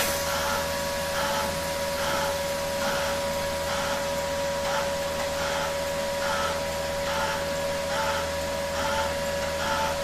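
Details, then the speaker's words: Kaiser 310 Pro MIG welder after modification, with a relay added to feed welding wire gradually when the button is pressed; steady motor hum with a soft regular pulse just over once a second, wire feeding evenly in steps. "Дивіться включив я реле яке поступово подає зварювальний дріт дивіться натискаю на кнопку і як в нас додається"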